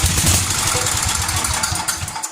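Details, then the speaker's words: 33-year-old Homelite 8 hp 4,400 W yard-sale generator, gas in the plug hole: catches a couple of seconds with quick even firing then dies, no clacking; engine seems solid, no power output yet. Brief primed firing, no mechanical knock. "I mean, until we get it running good, but I didn't hear it sound any clacky or anything."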